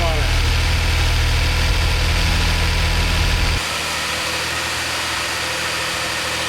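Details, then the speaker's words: DeLorean manual, after CO adjustment and fans confirmed working: steady even idle sitting fast around 800–900 rpm with quick low throb; too high for a manual, cause unknown, owner wonders if it is idle-related. "Alright, so the CO is adjusted. It's idling kind of high. It's like, I don't know, 800, 900 RPM. It should be much lower than that."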